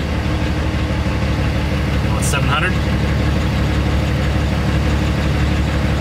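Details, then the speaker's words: Truck diesel after an engine-light repair with all codes cleared, idling at about 800 rpm then low idle 700: a steady, even low rumble with no puffing or ticking; normal, smooth idle. "all codes are cleared and the engine is running smooth I have it at 800 800 RPM right now"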